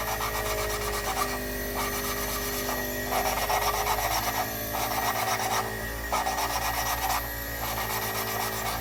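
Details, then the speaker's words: Toyota 3A-C cylinder head, hand-lapping a valve with fresh grinding compound: rough, sandpapery back-and-forth rasping in steady strokes, the gritty early stage before the seat smooths out. "this valve grinding compound has like a sandpapery kind of grit inside of it"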